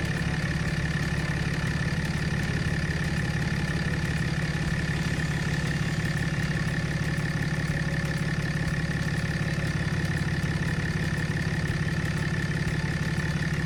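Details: 2007.5 Dodge Ram 2500 6.7 Cummins diesel (EGR deleted) after water pump and coolant replacement: steady idle, smooth low rumble, faint accessory whine, no knocks or squeals. No noises or leaks; normal idle.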